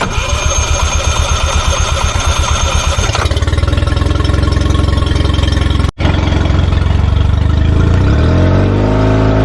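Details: Tohatsu 20 hp outboard on a Mowdy S-10 boat, first start right after an oil change with 1 quart added: rapid even cranking pulses, it catches cleanly and settles into a steady, smooth idle. Normal start and idle.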